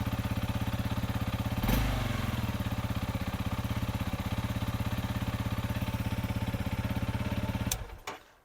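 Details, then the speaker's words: 2-year-old Honda CRF300L single-cylinder motorcycle, first start just after fitting a new EBL 12V lithium LiFePO4 battery in place of the lead-acid one: it cranks the same and putts at an even, clean idle until switched off. Normal idle. "crank it sound just like I couldn't tell the difference between that and the lead acid"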